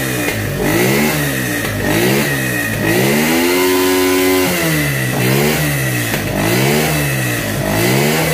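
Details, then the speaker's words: Motorcycle that bogged and sometimes died at 6,000–7,000 rpm: after replacing a suspected part, the engine picks up cleanly and revs freely in repeated blips with no stumbling or misfire, a notable improvement; old part to be refitted hot for comparison. "vemos una mejora bastante bastante notable"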